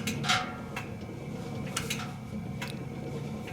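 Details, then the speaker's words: Servis (Eudora) 386 compact 3 kg washing machine (single 550 rpm spin) running with a low hum and sharp, irregular clicks; the clicking is normal and comes from how its mechanism works. "can you hear that that's clicking but there's a reason for that because it's how this machine works"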